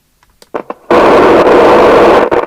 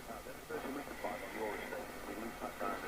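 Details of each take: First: 1981 Nato 40FM UK FM CB radio, Cybernet PTBM002F chassis, loud popping audio even on PA: loose pops then harsh crackling roar cutting out in spurts from speaker; ultimately the faulty LA4422 audio amplifier IC, after six electrolytics replaced. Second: 1981 Cybernet PTBM002F-chassis Nato 40FM CB on air test on channel 19, after LA4422 audio IC and electrolytic capacitor replacement plus tune-up: clean, open receive audio with steady hiss and faint channel chatter, no distortion or dropouts. Receiving normally.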